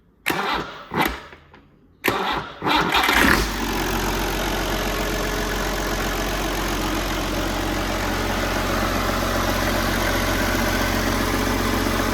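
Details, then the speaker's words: Old Perkins 6354 tractor engine, run briefly with no coolant: a few uneven cranking bursts, then it fires at about three seconds and settles to an even, steady idle; normal start-up. "Sounds all right."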